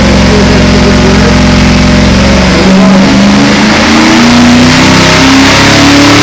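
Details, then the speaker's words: Old V8 on dyno after valve job, seals and guides, full-load accelerated sweep 3,000–6,000 rpm: holds steady then pitch climbs cleanly; 464 hp at 5,500 rpm, 490 lb-ft at 4,100, oil pressure 67–80.7 psi; healthy. "oh not bad made 464 horsepower at 5500 it made 490b York at 4,100"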